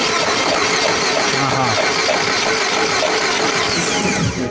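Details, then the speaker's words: Chery engine that died suddenly at 130 km/h and won't restart: starter spins the crankshaft quickly and evenly with no firing, camshaft not turning; a timing-drive fault, possibly stripped teeth, valve-piston contact still unknown. "Тобто ми бачимо таку історію що у нас прокручується колінвал але не крутиться розпридвал тобто проблема в системі ГРМ чи позлизувало зубчики чи щось незрозуміле"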